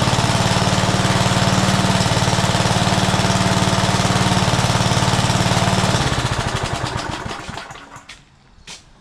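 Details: Old Rover lawn mower, first start after sitting over 10 years, with the primer bulb refitted and primed: the small single-cylinder engine pops along evenly at steady speed for six seconds, then winds down and stops; it sounds healthy.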